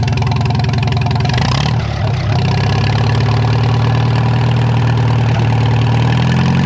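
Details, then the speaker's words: Narrow-front Farmall M tractor, previously stuck engine, running for the first time in many years after head work: deep, even idle with a brief dip and recovery, no knocks or misses, warming the oil; runs well but carb could use tuning. "I'm going to let the engine run for a little. Warm up the oil, man. It runs good. could still use some tuning on the carb"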